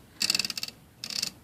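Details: IBM Selectric III typewriter after replacing a worn detent roller that caused misfeed indexing: two short bursts of crisp, evenly spaced ratchet clicks with clean stops, no slipping; indexing healthy.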